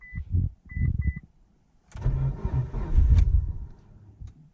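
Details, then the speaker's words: Evo just changed from 20W50-type VR1 to OE-weight Amsoil, cold, neutral, no throttle: a few chimes, then couple seconds of cranking that never catches; hard cold start. "It is definitely cold, because I am freezing right now. Oh, yeah, it's cold. All right, please be nice to me. We're neutral, no gas."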